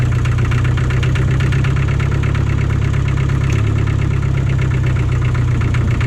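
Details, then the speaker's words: John Deere 1010 crawler dozer diesel, sat about 12 years, running after bleeding air from injectors: deep, even clatter holding steady idle with no misses or hunting; normal idle. "well there it is i mean it's fixed up and running don't really have anything good push with it but it all works so i guess that was a success"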